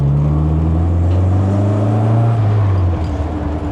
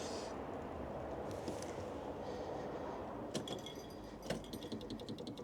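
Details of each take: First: MG Midget after winter hibernation: steady smooth engine note under light load, pitch easing as revs drop, no misses or knocks; running beautifully. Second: MG Midget waking from winter storage, fuel weeping from a copper pipe: faint, rapid, regular ticking rising and falling as the electric fuel pump kicks in and out bringing fuel up to pressure.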